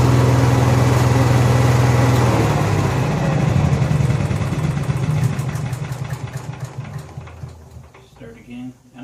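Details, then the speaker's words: Honda EXW171S welder generator, sat in a barn over 5 years. Steady, even low hum from a small single-cylinder engine, no knocks or misses, then it winds down smoothly; it runs fine. "well getting what I thought was going to turn into an interesting video on this Honda II xw1 71s welder generator is turned into it runs fine"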